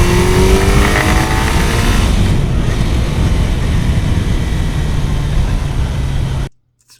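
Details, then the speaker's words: Kawasaki motorcycle, rebuilt without machining, about 500 km of careful break-in, carburetor diaphragm replaced and stock needle not adjustable: loud revving under load with rough irregular rattle, knocking under acceleration that makes the rider back off; cause undetermined. "kopogott haem jobban most már ment tehát így elindult így így így éreztem hogy így menne csak így az ember így visszaengedi a gázt mikor ezt a hangot hallja"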